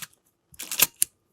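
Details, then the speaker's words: Canon A-1 with the "Canon cough", fired at 1/1000 s, the fastest speed: short bright mechanical bursts with a high squeaky edge; the dry shutter gear train squeals and needs lubrication. "Oh, the highest shutter speed is the best to test it. So it's 1,000th of a second in this case, because the faster those gears work, the more you're gonna hear the squeal."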